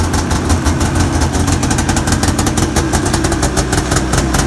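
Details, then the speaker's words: Arctic Cat 570 snowmobile two-stroke started on the electric starter at −40° with a Varta AGM battery, choke fully open: steady, even idle with quick regular crackle and no misses; runs fine despite the deep cold. "это он работает [музыка] это пар изо рта ну ладно хоть буду знать что он заводится"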